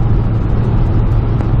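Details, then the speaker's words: 1995 Ford E-150 Club van after the exhaust manifold was machined and refitted to cure a recurring leak noise. Accelerating up a big hill, where it used to act up, it gives a steady low rumble with no puffing, ticking or blowing; quiet exhaust under load. "i'm really really excited listen to that no noise at all no exhaust so nice and quiet we can actually talk to each other while we're accelerating up a big hill"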